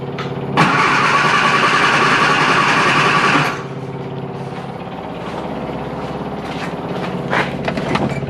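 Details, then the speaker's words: Classic Mini Clubman Estate on old E5 fuel after sitting, noisy fuel pump: three seconds of steady cranking, engine briefly catches then dies; stalls and struggles to restart, flooding feared, cause unclear. "oh right no point cranking it's just gonna flood the uh flood the engine"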